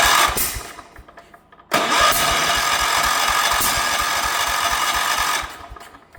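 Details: 1977 Wheel Horse B-100 single-cylinder, spark and fuel restored, starting fluid used: starter cranks about two turns a second with brief bursts and backfires through the carburetor but never runs; suspected out of time.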